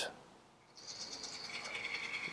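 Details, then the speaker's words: Smail switch motor (model railway switch machine with decoder) just factory reset, address set to 1 and triggered: brief high-pitched whir with light ratcheting buzz, steady and smooth through the throw; normal operation. "you go now the smell switch motor has been successfully factory reset it"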